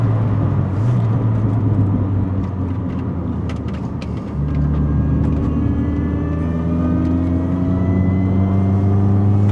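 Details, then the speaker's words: Mini Cooper R53 supercharged engine with a smaller supercharger pulley and cone filter, driven under load on country lanes. A strong engine drone carries a whine that climbs with revs plus induction noise; normal supercharger whine. "We've got the supercharger whining because it's got that smaller pulley. We can hear the induction noise with the cone filter."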